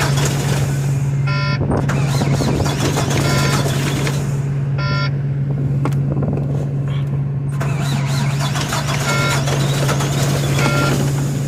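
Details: Volvo diesel truck with 286,000 miles, cold start at about 2 degrees; after firing up it holds a steady, even low drone at idle, with a few background beeps.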